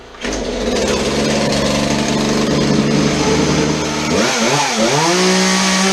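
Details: Chainsaw that would not idle, after old fuel was dumped and the air filter was modified and refitted: two-stroke buzzes steadily, then revs cleanly up and back down with no stumbling, so it is running normally after repair.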